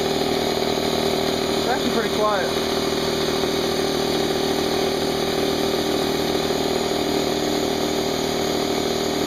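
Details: Harbor Freight Central Pneumatic 68127 29-gallon 2hp 150psi air compressor, new, during 10-minute no-load break-in after fresh oil change, tank drain open: steady, even electric drone with quick regular pumping beat, no knocks or rattles; running unloaded normally.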